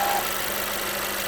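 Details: Mercedes A-Class at hot idle after standing long in traffic (not heard cold): faint steady hum under idle hiss, constant and not following load. Other parts already replaced; cause was the water pump.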